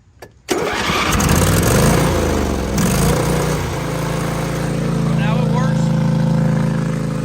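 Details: Engine on a mud mower with an oil-packed turbo, restarted after a turbo oil change. It seemed short of fuel pressure, then cranks, catches and holds a steady mid-pitched drone without misses; running normally.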